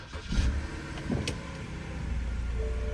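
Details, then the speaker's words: BMW E92 328xi xDrive, rear-ended, on pickup: short crank, quick catch, smooth rise to a steady quiet idle; starts right up with no check engine lights, a clean healthy start. "Starts right up, no check engine lights or anything. It's pretty nice."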